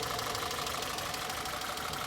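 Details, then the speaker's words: 2011 Citroen C3, 1.2 or 1.4 engine, idling hot with the cooling fan running: uneven, stumbling beat that drops out irregularly under the fan rush. Misfire fault P1340, excessive misfiring cylinder 4; coil pack suspected. "The longer we sit here, we can actually hear the car stumbling."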